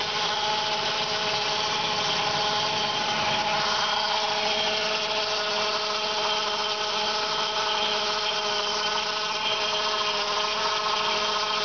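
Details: 1999 Saab 9-5 2.0 turbo B205E 150 hp: steady high-pitched whine over a thin mechanical hiss at constant speed, suspected to come from the oil pump, with oil pressure also dropping when hot; not confirmed.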